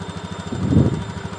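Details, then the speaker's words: Honda Beat ESP injection scooter with the idle adjusted to about 1300–1500 rpm and the bolt not yet tightened, just testing: an even, steady putter of about ten beats a second with no hunting or stumbling. The idle is set right. "untuk Ini belum saya Kencangkan untuk bautnya untuk mencoba aja nyatanya udah pas udah bisa disetel"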